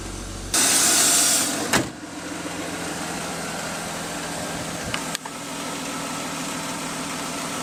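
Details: First start after installing a Mishimoto oil cooler, with oil primed by pulling the fuel pump fuse and no leaks seen: a starter whirr, then the engine catches cleanly and settles into a steady, even idle with no ticking or knocking. Normal start and idle.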